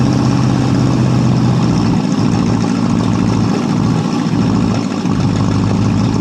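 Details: 1967 Ford LTD, 390 FE 2-barrel V8, running after 12 years on old gas at about half throttle: lumpy, dipping rumble as it loads up on fuel; carburetor faulty and needs replacing.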